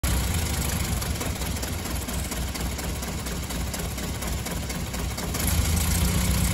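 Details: BMW M3 E30, S14 engine: uneven, lumpy idle with irregular stumbles, rough running and hard starting; ignition fault causing misfire, problem surfaced after cleaning the engine bay.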